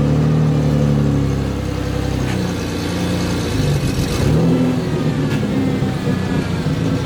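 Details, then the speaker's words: 1992 Ford Explorer, 4.0-liter V6, 5-speed junkyard truck, loaded to check for a miss: it pulls up and settles with an even, steady note and no skips or stumbles. It revs normally under load with no misfire. "So basically, he puts it under a load to see if the engine's missing. So sometimes they'll idle up and rev when there's no load, like when you aren't driving, and the engine isn't having to work."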